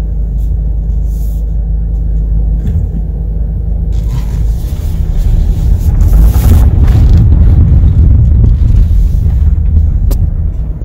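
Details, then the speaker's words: Front-wheel-drive car turning while accelerating: rapid, uneven popping and clicking over engine and tire rumble from a worn outer CV axle joint, confirmed by taking the axle apart. "in my opinion this is the stereotypical popping or clicking noise that you'll hear from the outer joint"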